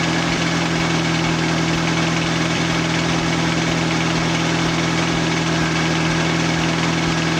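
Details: Nissan 240SX with SR20 swap, idling after GTX2860 dual ball bearing turbo upgrade, 850cc injectors, Z32 MAF, FMIC, 340lph pump and new ECU; loud, even idle with steady low drone and regular pulses, no knocks or misfires; small audible exhaust leak.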